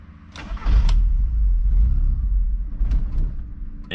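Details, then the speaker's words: Car with engine codes including EGR, restarted after fixing a line: catches and runs rough and uneven for a few seconds, then sags and stalls; cause not yet determined, scan tool check planned. "let's see let's give her a shot again because i ran good after i fixed that line um but now she's being weird"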